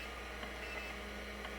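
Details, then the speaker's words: Vintage Seagate ST-225 5.25-inch hard drive: quiet hum with a couple of soft knocks a second apart as the controller drives the head motor to its end stop, followed by a C: drive error. "we hear the drive thrashing around and really all you're hearing is the controller moving the head motor to the end of its travel"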